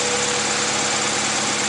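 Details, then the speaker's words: 2001 Honda CR-V after fixing misfire caused by distributor rotor missing its rear screw: smooth, even idle with steady hum, no stumbles, backfire or missed beats; running cleanly. "yeah that was the problem there's no backfire it's perfectly fine it's running perfectly idling perfect"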